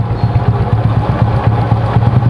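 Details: Honda Supra small single-cylinder motorcycle after a clutch repair for slipping (clutch housing gap worn to 1.5 mm): quick, crisp, even firing pulses with no clatter or slipping drone; revs now rise faster, normal healthy revving.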